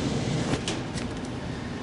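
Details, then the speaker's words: 15-year-old heat pump air handling unit after replacing the fan motor and squirrel cage: even, steady whoosh of air with no scraping or wobble; normal blower operation. "all right it passed the smoke test so here it is drawing it in on my left in this case and i checked the vent make sure it's blowing out of the vent not sucking into it"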